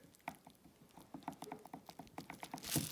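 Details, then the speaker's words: Axial SCX10 II RC transmission before shimming: light, uneven clicks about three a second as the spur gear and output shafts are rocked, excessive slop from loose bearing fitment in the housing, later fixed by shimming bearings with paper towel. "you can see all that movement there is due to the fitment of the bearing in the housing that's all bearing slav you can hear it"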